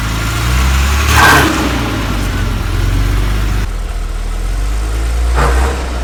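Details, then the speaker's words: 1978 Jaguar XJ6 Series 2 barn find, off the road 24 years, idling with a loud rattle; a low clatter under a rough idle with a couple of blips. Removing the alternator/water pump belt showed the water pump making the noise, so it needs replacing. "we're taking the air the belt off the alternator and water pump and it's the water pump making the noise"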